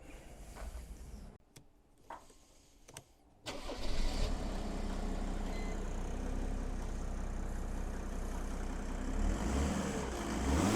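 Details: Donor diesel engine in a car bought for a Land Rover build, dealer-maintained with oil changes: a few quiet knocks, then catches and settles into an even steady idle clatter; healthy, slight diesel rasp when cold, sounds good warm.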